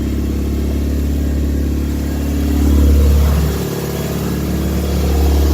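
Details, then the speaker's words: 1986 Toyota MR2 Mk1 with a hard cold start: an uneven idle with irregular exhaust pops, about four a second, rising with revs. Smoke puffs come with each pop once warmer. The cold start injector was replaced and the timing reset; the cause is still unknown. "you can hear the kind of popping a little bit from the engine bay but once it's warmed up more and it's not on the cold start you can you could see the smoke coming out that'll come out a little and puffs it'll make a popping noise"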